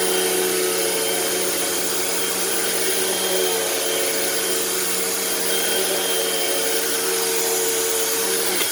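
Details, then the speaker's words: Eureka SmartVac 4870 upright vacuum, rebuilt from two broken machines, on high carpet setting: loud steady motor whine with even airy rush, normal run; long motor wind-down, and the belt seems to be slipping and may need replacing soon. "motor has a bit of a long wind down but other than that it's it's all right"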